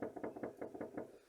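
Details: Lada Vesta SW rear-right suspension knock, worst on uneven roads, gravel and old asphalt, owner unable to locate source after a week: about seven dull hollow knocks in quick succession, then quiet.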